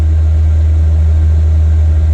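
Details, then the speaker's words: Newly installed 5 kW motorhome diesel heater warmed up on its high setting: a loud, steady, low hum with no clicking audible, only the fan. The blower is running normally. "So you can hear that running now. Look at this. And it's nice and warm. So most of the noise now is just the fan. You can't hear the clicking. You can't hear it at all. All you can hear is the fan going."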